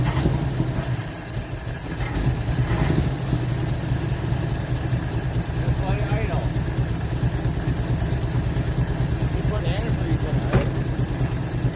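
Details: 1948 Chevy inline six, off the road since 1968, just restarted with fuel poured in the carburetor and pulling from the tank on very old gas: low, steady, unhurried idle with no knocks or misses; running like a sewing machine, normal idle.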